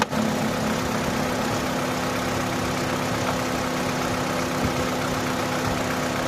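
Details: Opel (Vauxhall) that cranked but would not start: steady, even idle with a constant low hum and no misses, knocks or hunting; normal, healthy idle.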